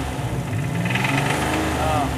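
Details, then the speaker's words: Buick Grand National with a built engine, before the $32 DIY repair, running at the rpm where it knocked: deep, hollow knock under the exhaust note; worn rod bearing. "It was right around here that we were getting it before."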